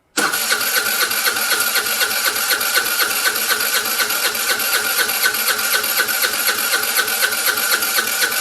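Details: Vespa scooter: starter spins the engine at about four even beats a second for eight seconds and it never catches; cranks but won't start.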